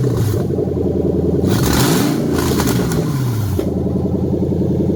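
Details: Toyota 3UZ V8 in a manual conversion with new wiring and performance tune (EVAP, rear O2 sensors and immobilizer off), test run with throttle blips: smooth note rising and falling, no knocks or misses; normal running.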